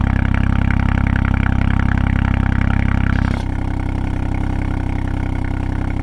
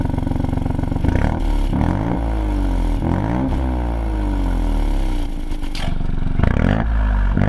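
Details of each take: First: 2020 Ford Fiesta MK8 ST with a Scorpion GPF-back exhaust, before the fix: steady idle with a fast buzzing rattle, about four a second, that drops off partway, from the loose exhaust valve rattling, also faintly heard when revved. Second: 2020 Ford Fiesta MK8 ST with Scorpion GPF-back exhaust and Mountune M235, after fixing the rattling exhaust valve: engine blips up and down cleanly several times with no rattle or buzz, fix confirmed.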